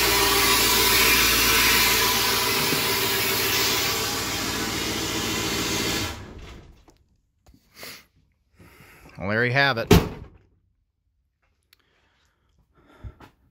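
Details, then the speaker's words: 7.3L Powerstroke turbo diesel (Navistar T444E) for an F-350 crew cab build, first start after sitting crated almost 2 years, glow plug relay checked good: steady, even diesel clatter at idle for about six seconds, then shut off; healthy idle. "it's alive [Laughter] oh that's awesome"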